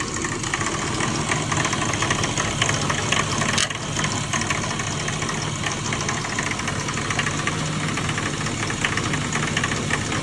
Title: E36 M3 clanking/ knocking noise. Please help!!